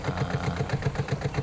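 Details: Washing machine spin dryer running with a loud, rough, chopping rumble pulsing about seven to eight times a second, likened to a helicopter; something wrapped around underneath the spin drum suspected, not confirmed.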